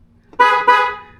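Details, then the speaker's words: Ford Bronco after its failed low-note stock horn was replaced, so both high and low horns work: two short blasts, each a strong, clean two-note tone. Finding: normal horn. "oh The Sweet Sound of the regular Factory horn again"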